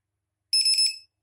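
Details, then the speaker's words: RC battery cell checker on a Hubsan H502S/H502E 2-cell pack run down to 7.38 V total, 3.68 V cell: short, shrill half-second beep warning the pack is low and needs charging. "ดังครับ2เซลล์ทั้งหมด7.38เมื่อกี้เล่นมาจนแบตอ่อนเลย3.68เนี่ยฮะเราต้องรีบชาร์จแล้ว"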